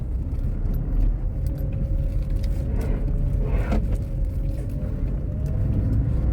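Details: Tata Tiago driven over rough, potholed road: low road rumble with scattered loose clicks and tinny rattles on bumps from body, doors said damaged by heavy slamming; body rattle, cause unclear.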